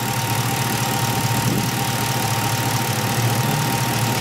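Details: 1977 Camaro Z28 V8 warming after a cold start, around 140° with exhaust at 230°: even, steady idle with a faint constant whine on top and no knocks or stumbles; runs fine.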